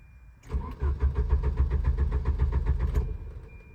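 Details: Volvo 740: starter spins the engine at about four compressions a second for a few seconds, never catches; crank no start.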